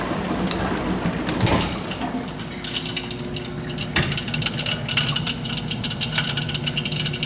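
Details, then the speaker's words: GE dishwasher draining: pump hum under scattered metallic rattle and ticking as debris strikes the propeller-like drain impeller; noisy when running and draining; fix is removing the debris. "oh yeah you can hear it something's in there there's a little like boat looking propeller in there it's hitting some kind of debris easy fix"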